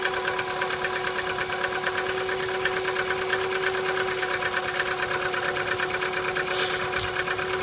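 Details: Chevrolet Cruze cold start in light frost: cold idle with a light, fast ticking about three per second over a steady hum, an extraneous unpleasant noise of unidentified source that later disappears as the engine warms.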